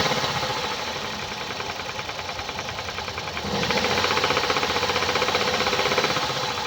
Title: Hyundai i30 (PDE): Motorgeräusch - Defekte Hydrostößel?!